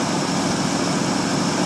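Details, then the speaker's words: 1952 Ford Customline 239 cu in flathead V8, dual exhaust with mild glass packs, run after sitting a month or two: even, steady low drone with no clicks or knocks, a quiet, healthy warm idle; probably no adjustable lifters. "Quiet as can be. If you guys have watched my video of the 47 Ford, that one is a little more clickety because it's got adjustable lifters in it. I don't think this one does."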